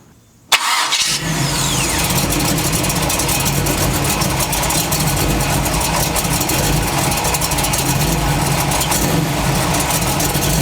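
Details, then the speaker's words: Chevy truck V8 starting and idling rough with an uneven metallic noise from the engine side; cracked flexplate suspected, torque converter seen not moving, unconfirmed. "i see any contact then i'll know that it's making that ugly sound this new ugly sound and it's only on the engine side and that would kind of lead me to believe that it's torque converter i mean uh flex plate my bad that would lead me to believe that it's flex plate"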